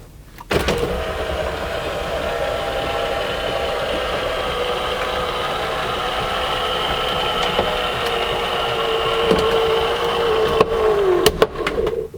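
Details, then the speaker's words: Power sunroof on a 1982 Renault Fuego working normally: smooth, even electric motor hum at constant pitch through the full travel of the folding vinyl/fabric roof, stopping cleanly. "Eurasian Bob when he brought this he opened it up and it actually worked we all jumped for Joy let's try to see if it closes"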